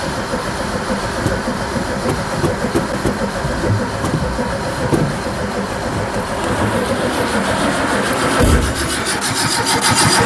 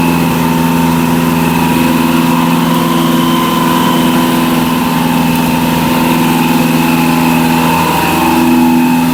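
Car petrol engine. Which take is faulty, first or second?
first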